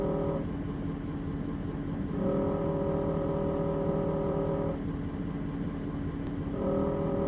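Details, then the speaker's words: 2017 Ford 6.7 Powerstroke diesel at idle: buzzy rattle in spells of two to three seconds over the idle, stopping each time the transmission dipstick tube is held and returning when released; dipstick tube rattle. "Every time I let go is when you hear the vibration."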